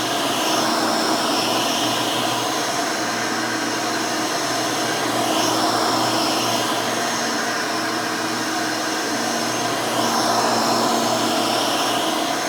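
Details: Rebuilt Hoover Elite 600 upright vacuum with new 7 amp motor and 20-blade fan running; steady, smooth motor whir with even fan hiss, no rattles or grinding; fairly quiet, like the original 6 amp, normal.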